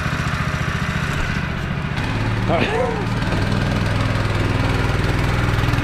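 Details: Newly received small single-cylinder, said to need an exhaust, thumps at a fast idle with a slightly uneven, lumpy beat; rough running, thought to need a service, cause unconfirmed.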